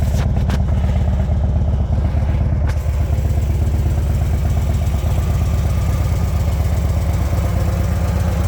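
Deep, loping V-twin beat at roughly three pulses a second, holding steady without misses or knocks; the fresh rebuild runs healthy.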